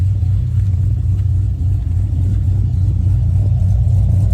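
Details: 2009 Pontiac G8 LS2 with a big cam, warmed up and freshly tuned with HP Tuners, recorded near the exhaust: deep, steady rumble with no knocks, pops or stumbles as it revs; healthy, clean-running V8, normal revving.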